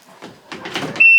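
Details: Yamaha Viking side-by-side: shifter clunk, then a steady high-pitched chime sounds continuously when shifted into high or low forward, never in reverse or neutral; owner first suspected a stuck brake micro switch or mouse, but it's the seat belt warning alarm.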